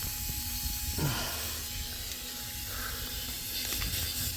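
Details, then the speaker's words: 2008 Mack with MP7 engine during brake air-leak inspection: steady airy hiss over a quiet shop from several leaking fittings on the foot brake valve; a steer brake chamber leak was first suspected. "Got a bunch of air leaks on it."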